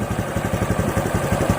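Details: Honda RS125 Fi single-cylinder idling unevenly with a lumpy beat and irregular stumbles; it was slow to rev and lacked power despite new throttle body, spark plug and fuel, and the cause was a faulty spark plug cap.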